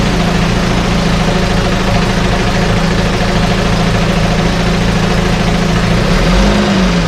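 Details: 1968 Evinrude Fastwin outboard, bought and only set in a test tank with no repairs, out of gear with no load: steady, even low two-stroke burble with no misses or knocks; no cold-start cough, runs better each start as Sea Foam in the fuel cleans it. Normal idle.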